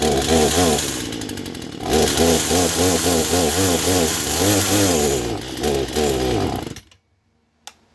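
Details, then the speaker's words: Poulan Pro chainsaw that wouldn't stay running: starts, then revs in surging waves, speed sagging and recovering several times a second before cutting out; bogging, owner suspects idle screw and carb adjusters need adjusting. "Okay. Sounds like she started right up pretty good. But so far I can hear that it was bogging a little bit, so it was probably the idle screw that needs to get adjusted, and maybe the adjusters as well."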